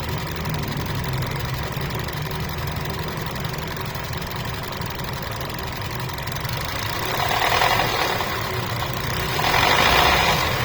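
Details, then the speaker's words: Hyundai Stargazer with red oil warning light blinking then steady, oil level present: rapid even ticking at idle turning into rougher knocking during two short revs, rising with engine speed; cause unclear. "Sa engine, may oil naman yung engine. So sir, ito yung tunog kapag nire-rev ko siya."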